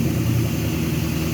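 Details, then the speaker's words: 1998 Ford Mustang GT, 4.6L 2-valve SOHC, running after alternator replacement: smooth, even engine hum with no whine, squeal or rattle from the front; old alternator made a loud racket, new one is nice and quiet, charging side healthy. "at oh it's nice and quiet up here the old one was making a hell of a racket and now it's nice and"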